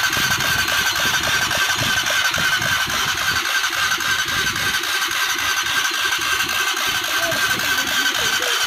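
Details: Honda CBR 150 after full engine rebuild and refitting: even quick-pulsing idle with bright mechanical chatter and no knocks or misses: normal idle.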